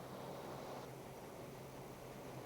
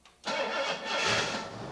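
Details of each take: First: Engine with newly installed Autolite 4100 carburetor: idle mixture screw turned clockwise to lean the idle fuel, steady idle loses speed and softens, showing it runs too lean, so screw is backed out to fastest idle. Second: Engine with newly installed Autolite 4100 carburetor, first start after cranking 5-6 seconds and pumping the throttle to prime via the accelerator pump: brief crank, then catches cleanly and settles into a steady, even run with no misfire or stumble.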